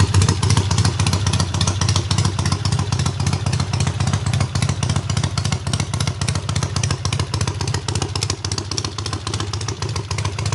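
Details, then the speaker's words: Triumph hardtail restarted after its first start, engine having sat on the workbench almost a year; clutch not yet disengaging fully: very loud, even, rapid exhaust beat of three to four pops a second, no knocks or misses; runs really well. "so what you guys saw in that last clip was the bike actually fired up unlike the second or third kick which is freakin ridiculous for you know it being basically not started and the engine sitting on my workbench for almost a year so super awesome runs really good"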